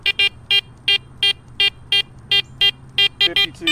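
Crisp mid-pitched beeps repeating about three times a second as the coil sweeps: a clean mid-conductivity response to a nickel.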